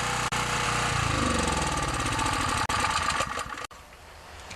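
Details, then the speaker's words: Small generator after starter rope replacement, already run once, before warm-up and oil change: fires right away and runs at a fast, even beat with no misses or knocks; normal running. "so I'm just going to give this little generator a test run I've already had it started so it should start right away"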